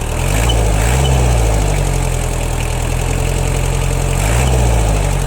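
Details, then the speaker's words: Kubota Saturn X-20 mini tractor, four-cylinder diesel, 955 engine hours, after a cold start without glow plugs: a low, even idle chug at about 220 beats a minute with no knocks or misses. A smooth, healthy idle that responds pleasantly to the throttle. "Мотор работает очень и очень ровно. Прямо приятно нажимать на педаль газа."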